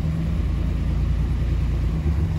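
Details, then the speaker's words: 1997 Suzuki Maruti, previously no-start with no check engine light, now idling after fault traced to the relay powering the computer and fuel pump, not the computer; steady low even rumble, no misses or knocks; normal idle. "el vehículo en funcionamiento el problema no era la computadora el problema estaba en el relevador"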